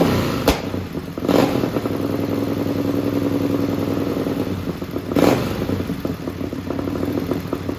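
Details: Racing lawn mower twin-cylinder engine on methanol, cold and hard to start: loud rapid bark, steady beat with a couple of sharp thumps, revved to about 9,400–9,500 rpm; runs cleanly and strongly.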